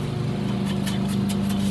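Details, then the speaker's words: Alita 60 diaphragm air pump after rebuild: a smooth, steady low hum with an even airy hiss and no knocks. It is much quieter, with mostly air noise, and the output is very strong. "Oh, look at that, so much quieter. It's almost no noise. The only noise you're hearing is from the air."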